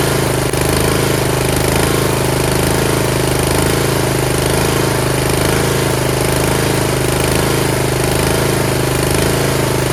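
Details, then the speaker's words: Yard Machines (MTD) 38" riding mower, 13.5 HP Tecumseh engine: steady, even single-cylinder thumping at constant idle, no misses or stumbles; normal running. Owner suspects possible carb issue after an earlier stall. "another tractor going and I got it for free"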